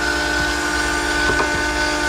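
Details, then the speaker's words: Mitsubishi 3000GT drift car, electric fuel pump running and returning fuel to the tank (about six gallons); steady, even whine with no stutter or labouring, so the pump runs normally with good flow. "uh that'll hold a little closer to six gallons to the top so i'll just let this keep running until it sounds like it's starting to starve itself for fuel"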